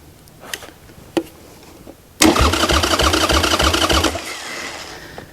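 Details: 1996 Harley-Davidson Sportster 1200, wrecked years ago and stored in a garage: after a couple of clicks the starter spins the engine with a quick, even chug for about two seconds; cranking sounds strong and healthy.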